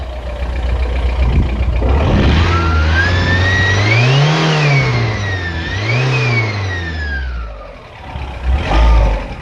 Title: AGR tdi turbo whine or what?